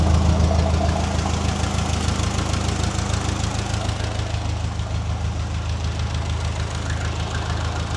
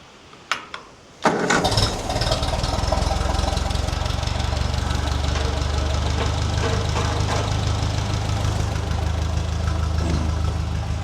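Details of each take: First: Restored Ferguson TE20 tractor with new ignition, fuel tank and radiator and fresh oil, after fuel bleeding increased flow from a drip to a steady stream: even engine beat around 200 a minute. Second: Ferguson TE20 tractor, restored with new ignition, fuel tank and radiator and an oil change, after the fuel line was bled to get full petrol flow to the bowl: a couple of cranks, then a steady, even low beat with no misses; normal running.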